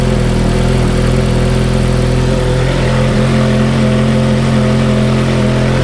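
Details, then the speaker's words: Ferrari F430 with good exhaust headers, at idle: deep, even V8 idle with only faint valve ticking and no puffing or leaks. Normal idle. "exhaust headers, there's not really much noise. It's pretty quiet. You can hear a little bit of valve train noise, but that's about it."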